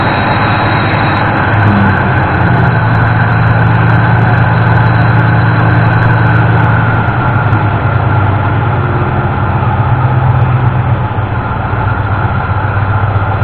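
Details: 1988 Ford F-150 V8 in neutral with a timing light attached, after the broken distributor-side ignition module was replaced and the engine retimed: deep, steady idle with an even beat, no stumbles or missing; normal idle.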